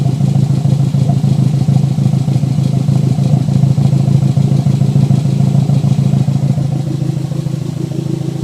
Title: Mr2 not running right misfire popping from the exhaust on idle